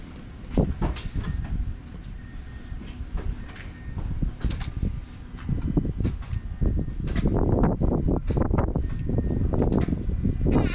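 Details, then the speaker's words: Mazdaspeed6 after corrosion-damaged ECU replaced with new PCM and keys programmed via FORScan: uneven cranking with irregular thumps, near-catches and exhaust pops/backfires every few cranks, but no start. "Well, guys, I feel like we're getting close, because I've never heard it try to kick like that a couple times, and we're getting more pops and, you know, burble backfires in the exhaust every couple cranks."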